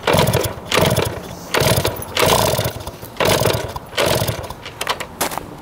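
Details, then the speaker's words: 1971 Yamaha JT1 mini enduro two-stroke, first start after about 30 years stored, 133 psi compression, spark and fuel confirmed: irregular sputtering bursts that catch briefly and die; exhaust clogged with mouse droppings, possibly mouse poison. "thank you that is nasty it was clogged the exhaust with a bunch of mouse turds our poison it looks like almost"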